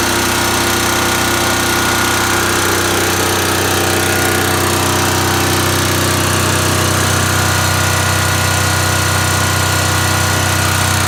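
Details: Voltmaster 13000 diesel generator with a 2-cylinder Lamborghini engine: loud, steady diesel drone with an even rapid beat and no misses or knocks; normal, smooth running.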